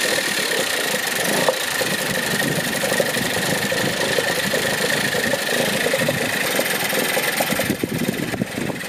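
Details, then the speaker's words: Dumpster-found Yamaha two-stroke outboard, running in a bucket of water about an hour after pickup after restringing, spark plug check and gas poured in: even, buzzy idle with light high tone over splashing water, no stumbling or misfire; normal. "Free outboard, literally got it an hour ago. It's already running."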